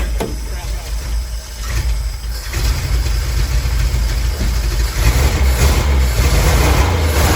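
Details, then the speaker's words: 1962 Willys pickup, 226 engine, sat two years, carb rebuilt, still cold: deep lumpy uneven idle with smoke, one weak cylinder; low compression in number three, oil added to that cylinder, still not running right; rough idle. "still not great as you can see she's smoking but we did put oil in number three cylinder so uh it's gonna take some time to play around with it and see uh see what else it still needs other than that issue with the low compression and number three"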